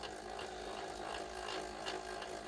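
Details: 1983 Ferguson 3V32 (JVC HR7655) VHS deck after long storage. Steady whirring with a faint repeating rub roughly every half second during fast wind; worn idler tyre slipping.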